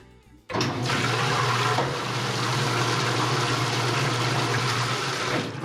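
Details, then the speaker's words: Whirlpool LSC8244DQ0 top-load washer that would not drain or spin, lid switch (285671) held together by hand: steady motor hum under rushing water as it pumps out and spins evenly; lid switch breaking apart, needs replacement. "obviously it functions when I hold it all together basically the lid switch itself is breaking"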